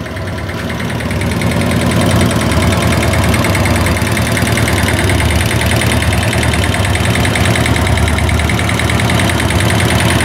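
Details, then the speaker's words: Italika Z150 single-cylinder bike that would not pass 6000 rpm: steady light tapping about three per second over the exhaust, revs suddenly rising and dropping hard without stalling; internal engine knock, connecting rod suspected, unconfirmed, carburettor also faulty. "y normal y de repente sube y de repente se cae las revoluciones pero no se apaga y sube y de repente boom bajan así bien fuerte las revoluciones creo yo que algo se está tocando aquí dentro del motor que algo está mal"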